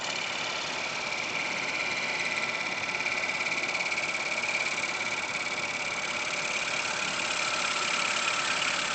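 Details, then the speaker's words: Wood lathe turning a stone pine polenta platter with a very thin gouge gives a high, steady buzzing whine, leaving spiral waves on the surface; the vibration comes from the thin tool and too much pressure on the bevel; tool chatter. "But this gouch is very very thin. So I easily have vibrations and you can see this spiral waves here. This is uh because of the vibrations of the tool and because of too much pressure on the on the barrel I can try to give less pressure."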